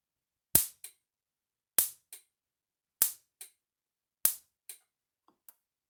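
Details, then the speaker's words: Gallagher M600 electric fence charger under repair, tested without a load and before the correct capacitor is fitted, reading about 8,000 volts: sharp, crisp snaps about every 1.2 seconds, each with a fainter echo click; healthy spark. "Pretty healthy spark too. I need a load tester to hook up to see what it's going to read with a load."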